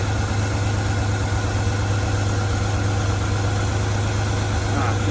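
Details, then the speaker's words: 1991 Ford E150 van with 300 ci engine after gasket repair, timing set and tune-up: steady smooth even idle, no noisy lifters or stumble, previously stumbling idle fixed. "Just gonna show off how smooth she runs. It sounds so good, so smooth. No more noisy lifters."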